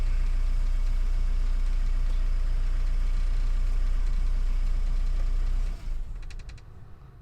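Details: 2010 Renault Mégane 1.9 dCi diesel after a P0090 crank-no-start was fixed by repairing a bad fuel flow solenoid valve wire. Idles evenly at about 200 pulses a minute with a smooth low rumble and no knock, then shuts off cleanly; normal idle.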